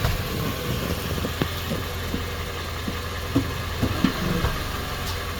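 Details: 2019 Nissan Sentra with CVT: steady low idle broken by dull knocks and clunks when shifting into reverse; cause suspected, not confirmed.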